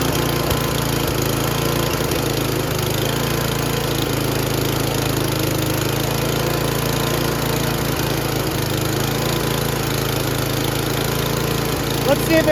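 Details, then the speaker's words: Noma/Murray Snow King 27" dual-stage snowblower, 9HP Tecumseh, after HIPA carburetor replacement: a fast, even single-cylinder buzz at full throttle with no surging. The carb works; normal running, though the owner feels top speed is too high and plans to lower it. "there you go carburetor works great uh throttle when you put it all the way up it's really high you know so i want to kind of lower in and adjust a little bit"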